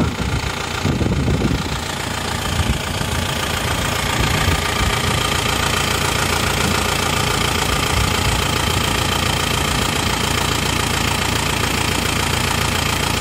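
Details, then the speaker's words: Isuzu Panther New Hi Grade (Kotak) diesel, radiator topped up with coolant: even clatter ticking about three to four times a second at steady idle, no changes; normal healthy diesel idle. "Pada prinsipnya ngerawat diesel itu simple ya, simple, tenaganya kuat AC-nya dingin, ya hanya karena suaranya mungkin orang merasa berisik, kayak murahan."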